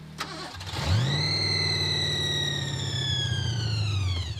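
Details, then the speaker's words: '86 Thunderbird with supercharged 302 V8 (6-71 blower) at about 0°F on a road trip after dying and leaking oil: starter whirs, engine catches briefly then dies; suspected out of gas, running only off accelerator pump. "I think it's out of gas I think it just ran off the uh accelerator pump just now"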